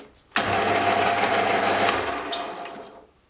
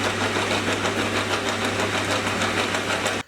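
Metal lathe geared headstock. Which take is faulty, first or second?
second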